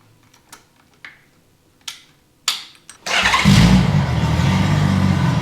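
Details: Honda Goldwing six-cylinder, derelict project, first start with the exhaust collector fitted after running raucous on open headers: a few handling clunks, then a smooth, silky, deep drone that holds steady under light revs; running healthy.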